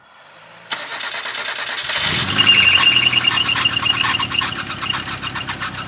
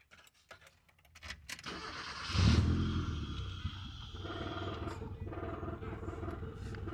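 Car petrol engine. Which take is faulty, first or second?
first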